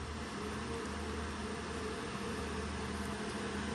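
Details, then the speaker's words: iPollo G1 Mini ASIC miner after replacing its short-lived stock 60x60x20mm fans: smooth, even fan whir with a low steady hum, no rattle, ticking or bearing growl; sounds like stock factory, maybe slightly quieter, normal. "back to probably what I would consider Factory uh the stock Factory sound maybe a little bit quieter"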